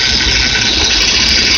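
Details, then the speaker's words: Bad power steering pump at idle: constant high hiss and whine over the idling engine, even and unchanging; worn bearing inside the power steering pump. "Hey YouTube, this is what a bad power steering pump sounds like. A bad bearing inside the power steering pump. It's very noisy."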